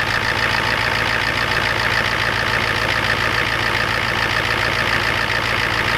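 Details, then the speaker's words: Ford F250 7.3 IDI diesel just cold-started at 12°F with glow plugs and ether: even clatter of about three and a half knocks a second at steady idle; normal cold idle. "well looks like the gold plugs handled the ether pretty well"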